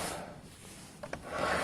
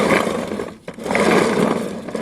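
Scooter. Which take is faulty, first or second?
second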